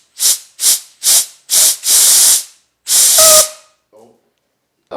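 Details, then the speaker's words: VW Beetle that stuttered, lost power and only reached 40 mph: short sharp compressed-air bursts hissing through the fuel line, then a longer blast with faint whistle, little dirt coming out; partly blocked fuel line suspected. "oh little bits of dirt from inside but not too bad okay I was expecting a big Clump but that's cool"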